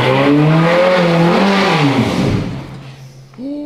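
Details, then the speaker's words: Crash-rebuilt Ferrari F430 engine, run up to operating temperature: revs rise briefly on throttle then sag back toward idle, choked and suffocating rather than free-revving; a restriction when revving is suspected. "I now like I put my foot on the throttle it's like not it's like suffocating before it it let me rev it but now it's like it feels like there's some kind of restriction when revving the car"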